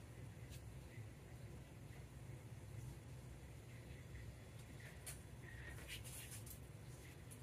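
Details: 1975 Plymouth Duster slant 6 idling with the valve cover off during lash adjustment after a bent pushrod was replaced, still not fully warm: low steady rumble with faint light ticks, consistent with excessive valve lash at the rockers.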